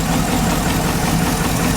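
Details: Cheap auction GMC Yukon idling, with oil leaking, possibly from valve covers: uneven, lumpy idle with occasional stumbles in the low thrum; suspected misfire at idle.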